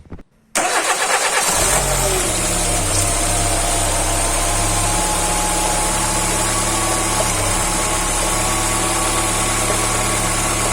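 Engine cranks, catches, and settles into a smooth, even idle with no rocker ticking.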